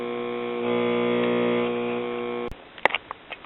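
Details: 1957 RCA Institutes kit AM tube radio, ~65 V AC input, ~57 V at rectifier cathode, filter capacitor measured bad: steady low buzzing hum with no reception; possibly poor clip lead contact.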